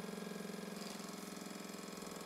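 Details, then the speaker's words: Old Mamod TE1A toy steam traction engine before rebuild: quick even chuffing beat at steady pace, no stumbles or knocks, running much more smoothly than originally, hot smoke box and chimney. "the whole thing is running a lot more smoothly than it did originally"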